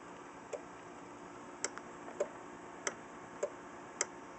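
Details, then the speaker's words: Panasonic RQ-236 radio cassette, possibly from 1976: sharp single clicks at irregular intervals as the mains cord is plugged and unplugged, normal AC/DC relay switching. "that's the ACDC relay when you plug and unplug the unit"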